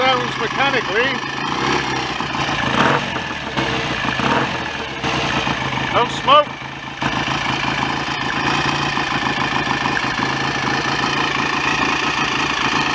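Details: BSA A65 twin after engine rebuild, ignition timing advanced via stator plate: steady idle with even firing and no loud knocks or rattles under some revving; mechanically quiet and healthy, strobe timing still to be set.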